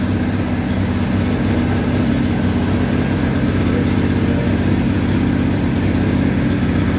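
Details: Massey Harris Pony with an 18hp Briggs opposed twin, with temporary wiring. A steady low putter at fast idle, no knocks or misses. Normal running; only small adjustments remain.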